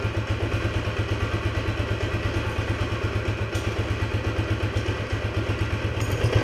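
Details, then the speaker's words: Restored 1976 Honda XL175 single with P90 exhaust, first start after restoration, carb possibly slightly gummed up, cold: even, regular thumping about three beats a second with no misses or hunting; settled, normal idle. "but it runs and idles super nice it accelerates really well"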